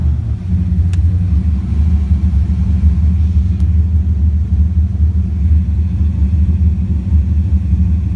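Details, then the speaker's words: LSX engine that previously barely turned a quarter turn and would not restart when hot, after a grounding fault was found; deep steady rumble, catches immediately and runs evenly; normal hot start. "now the sudden you know grab and start which is awesome like it's hot"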